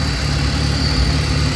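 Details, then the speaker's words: 2002 BMW 330Ci petrol engine warming up at idle, codes P0300 random misfire caused by vacuum leaks: engine shakes with a deep, uneven exhaust beat; worst at cold start, running very badly. "parecer tenemos un mix fire que lo podemos escuchar en el vehículo está temblando y lo podemos explicar en el escape"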